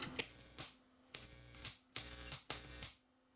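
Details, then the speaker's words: Marantz 1120 integrated stereo amplifier with no input and volume at minimum, squealing through the speakers. It gives repeated half-second blasts near 5 kHz from feedback oscillation, on all sources, risking the tweeters. "uh yeah it's making a noise good way to blow the tweeters okay no input on this thing it's got feedback somehow our squealing oscillation"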